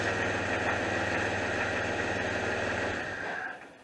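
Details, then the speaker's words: 2001 Jeep Cherokee Sport 4.0 six-cylinder with a knock-like noise, belt removed: steady, even idle with nothing driven on the front, showing no internal engine problem; the noise came from a failing power steering pump. "there you can hear the engine with nothing turning on the front sounds like a really good running uh 4-0"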